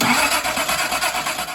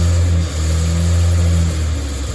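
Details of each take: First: Datsun 240Z engine, sat about 24 hours, no choke cables hooked up, not terribly cold: catches at once with quick even firing pulses then dies away; starts normally. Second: Datsun 240Z engine, first start after a fault kept it from running, not fully warm: revs surge and sag with throttle blips, won't hold steady idle by itself; seems okay once warmed up.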